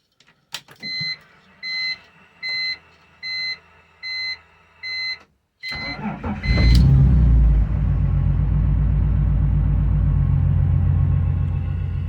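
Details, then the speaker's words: BMW E46 M54B30 with MS43 ECU, just fitted M56 valve cover and retrofitted pencil coils: cranks and catches fast, then lumpy uneven idle; cylinder two dead, coil suspected, not confirmed. "it started right up that's good but it sounds like it's missing a cylinder let me go check that out okay so cylinder number two is Mia I think the coil might be bad"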